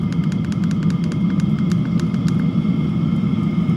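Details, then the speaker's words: Chinese diesel heater with pump capacity turned up: the pump gets slightly louder and much faster, and the blower speeds up too; quick, even dosing-pump ticking over a steady fan rumble; normal running. "But if I turn it up, the pump gets slightly louder and much faster. And so does the blower motor."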